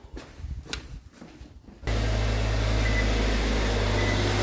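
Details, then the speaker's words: 2022 Subaru Outback XT turbo after replacing the oil cooler gasket, torqued to 28.5 ft-lb, fresh oil and filter. Engine fires at once and holds a smooth, steady idle with no ticking or rough beats. Normal idle; no oil leak now. "Okay. Running now. Now before, as soon as I crank it up, I would start seeing oil seep into this basin here. But as you see, it's dry. No leaks right now."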